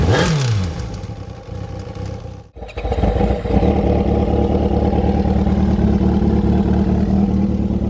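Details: Kawasaki ZXR 750 sport motorcycle engine blips and settles to a rough idle with a clattery knock about three times a second; engine knocking, and the timing was found one tooth out on the exhaust.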